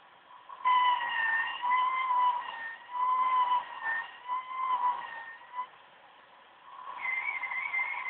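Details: OCZ ZX1250 80+ Gold power supply during a Windows 7 performance test: thin high whistle around one kilohertz with overtones, shifting pitch and dropping out with load; choke coil whine.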